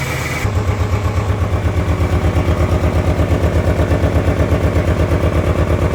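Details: 1997 Ford Ranger 4-cylinder idles with a lumpy, uneven pulse, loping about three times a second. It sat unused 2011–2023; the fuel pump and battery were replaced, but the old gasoline and spark plugs were not.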